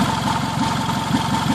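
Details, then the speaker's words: 2003 Toyota Camry, first start after an engine swap, steady idle: a fast, even puffing tick rides on the exhaust note with no knock underneath. It is an exhaust leak at the bad flex coupler; the engine itself is quiet. "but the noise that you're hearing in the video is the leak at this at this blessed coupler right here this is all exhaust noise"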